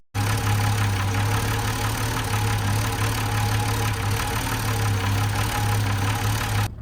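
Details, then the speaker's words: 1970s Holden HZ ute V8, revived after sitting 20 years, freshly filled with coolant: loud, low, uneven idle with faint irregular tapping; suspicious knocking when running and idling, rough running, cause unclear. "Even though the engine made a suspicious knocking noise, only when it drove, ran and idled, it still behaved really well, so I figured it deserved an oil change still."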